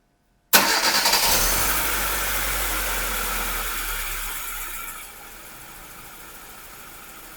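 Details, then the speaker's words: Normal idle on a 2002 Hyundai Accent 1.5 L after misfire diagnosis and repair (earlier P0300, P0444, P0135, P0130 faults, rough idle): starts on first crank, then settles to a smooth, even idle around 800 rpm with oxygen sensors working. "Hope you heard that better start and smooth engine running condition. You can see that the engine speed around 800 at the idle, which is perfect for this car, and oxygen sensors are working."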